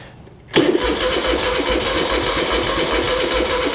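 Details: 1975 Moto Guzzi 850T abandoned over 10 years, with new battery, spark confirmed and fuel squirted in: starter whirs with slow compression thumps about twice a second but never catches; cranks without starting.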